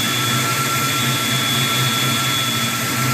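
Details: 1992 Ford Mustang whistling at idle: steady high whistle with two clean pitches holding constant over the engine hum; owner unsure whether it is a vacuum leak.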